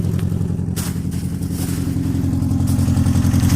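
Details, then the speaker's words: Beater car, guessed to be early 2000s, started after reconnecting battery without checking oil: rough lumpy idle with uneven low thump about four times a second, stumbling; still misfiring, cause not confirmed. "heats on full bore and hice all off for a second it sounds like it's still misfiring"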